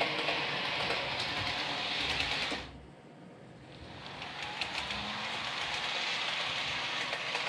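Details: Realtrack Class 156 OO model loco (RT156-312, 156497) after the axle repair, run slow and fast for 5 to 10 minutes: steady light whirr with even rail clicks, no squeak or squeal; runs quietly and smoothly.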